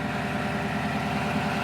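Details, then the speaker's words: Toyota Tundra stock exhaust at idle, before dual exhaust tip install, engine not yet fully warm: rough, evenly spaced puffing rasp in the low range; owner suspects an exhaust leak somewhere in the exhaust. "sounds like crap it's pretty unesthetic it's really ugly actually and i think it currently does have some kind of exhaust leak up here somewhere"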